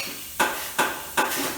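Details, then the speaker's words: Tire machine inflator adding air when the pedal is pressed, tire at 36 psi against a 32 psi target: three sharp, evenly spaced knocks with short hisses between them, the normal pulse of air being added. "and that's that noise you hear, the knock, knock, knock, that's it adding air pressure."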